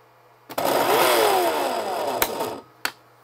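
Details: Milwaukee M18 saw powered by plug-in inverters (the small one unhooked, only the big one left) whirs up about two seconds, then sags and dies with a click; the supply can't deliver enough power.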